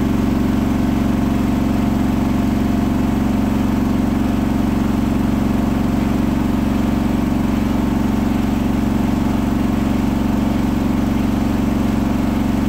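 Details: Hotpoint washing machine at 1400 rpm final spin after balancing; a rolling bath sheet fooled the balancing and was thrown to one side, giving a loud roar, heavy low rumble and quick even throb; unbalanced load during spin.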